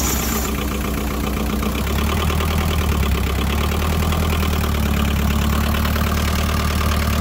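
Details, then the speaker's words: JCB 208s backhoe diesel that sat for years, first start after rebuilding the injector pump with lines bled: fires and settles into a steady, deep, even chug with no misses or knocks; pump was the fault. "this is awesome fuel pump the fuel injector pump that's what it was this is what i needed y'all"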